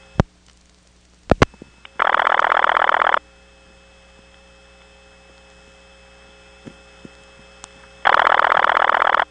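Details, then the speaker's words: 1977 Elizabeth City NC system, calling the 771 office via the Elizabeth City Tandem: a steady low hum under the line with two bursts of tone on top. The hum comes from the really hummy trunk circuits between the tandem and that office. "It also has really hummy trunks from the Elizabeth City Tandem to it. And you'll hear that while we're dialing it."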